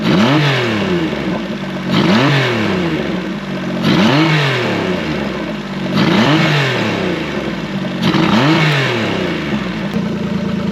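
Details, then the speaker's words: Tahotsu 40 HP outboard after DIY fuel injector cleaning, run on fresh gas: quick throttle blips every two seconds, each climbing cleanly and falling back to a steady idle without stumbling; running healthy as before. "I got confidence now for now. It sounds like it did before."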